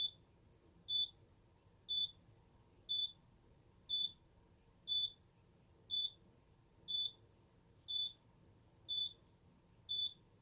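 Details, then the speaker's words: Simplex 3001 alarm panel test, medical panic triggered from the keypad with keys 3 and 9: after two beeps, the keypad gives a single high sharp beep once a second, slow and steady. The instant LED is flashing. "And finally, our medical panic. It's 3 and 9. instant LED is flashing. You only heard 2 beeps come from the keypad. Oh, it's beeping slowly."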